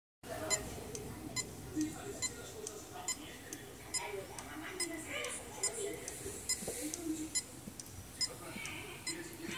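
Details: Powered magnetic hard drive making constant, repeated sharp clicks over faint room noise. This is a failure warning, and data should be backed up before it is too late.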